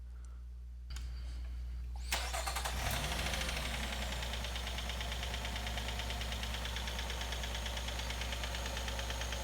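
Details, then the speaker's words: Nissan/Infiniti 3.5 or 3.7L V6 cold start settling into idle with a dense metallic rattle: timing chain rattle, typically worst when cold and fading as the engine warms. "so that's the timing chain rattle so the timing chain rattle typically when it first starts on the Nissan engines it will happen mostly when the engines cold"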